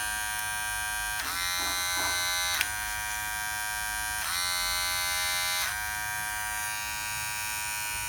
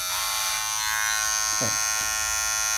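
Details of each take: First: Wahl Detailer Cordless hair trimmer after replacing the plate that caused intense noise: runs with a steady, even electric buzz and no harsh rattle. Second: Wahl Detailer Cordless hair trimmer running with a harsh, loud, high-pitched buzz from a worn blade plate; fixed by replacing the blade plate and greasing it.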